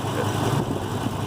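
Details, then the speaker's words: Ford F450 V10 idling with misfire on cylinder 9, worst at minus 17, second from rear; antifreeze later found around the number 9 plug boot and hole, cooling system being tested for combustion; rough uneven idle with irregular stumble; cylinder misfire at idle. "But anyway, so it's sitting here idling. Number 9 is the worst. It's showing negative 17."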